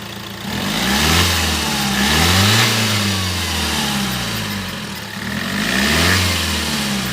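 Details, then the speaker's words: After the turbo vacuum solenoid actuator and its vacuum line were checked, revs rise and fall smoothly with turbo whoosh; the loud noise that earlier came on acceleration and risked turbo damage is gone; normal revving. "तो वो जो पहले noise था व अभी नहीं हो रहा है ठीक है"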